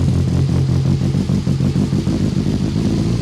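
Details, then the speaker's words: Freshly rebuilt BMW S14 engine just after its first start, running loud, uneven and slightly rich, with stumbling pulses that sag; it won't idle, and the idle control valve is possibly suspected. "it won't idle basically right so yep okay so it's not idling very well we have to figure that out"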